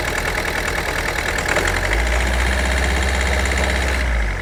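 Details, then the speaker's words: 2011 Ford Focus 1.6 TDCi diesel with no fault codes: it idles fine after an initial splutter, but when revved it holds an uneven, chuggy beat and misfires. Injectors suspected, unconfirmed. "once it gets past the initial spluttery stage when you start it, it idles quite nice. But when you rev it, that's when it starts to misfire"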